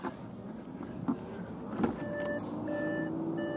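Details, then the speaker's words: Salvage accident-damaged Audi RS7, delivered completely dead, battery just reconnected (smoke seen at battery): relays clicking, then steady electronic tones and repeated chimes as all dash warnings sound at once; later cranks but won't start. "I can hear everything going haywire still turn off ignition"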